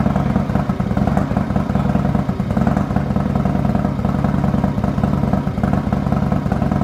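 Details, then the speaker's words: 2020 Harley-Davidson Road Glide Special, Milwaukee 8, just fitted S&S 475C cam kit, D&D Billet Cat 2-into-1 exhaust, first cold start: loud deep choppy idle, uneven loping beat over steady rumble; normal cold idle with performance cam. "Now we're gonna get ready to start it up. First cold start with the new 475 cam from S&S."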